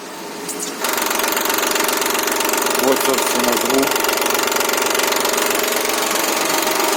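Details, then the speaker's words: Mitsubishi Pajero engine at 354,000 km: fast, fairly even light clatter about four per second over running engine; suspected failing hydraulic timing belt tensioner, timing belt replacement performed. "здравствуйте мои дорогие подписчики на канале юрка мастер сегодня чи не любиш и pajero треском двигателя так закричал у нас на пробеге 354000 треск именно вот такой вот слушаем"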